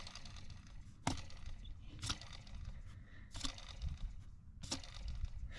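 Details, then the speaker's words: 2005 Acura RL blower motor, removed and spun bare, with brushes failing (works intermittently) and very dirty: a few sharp, irregular knocks about a second apart as something hits inside the motor. Internal knocking. "Yeah, you can hear it kind of hitting something in there."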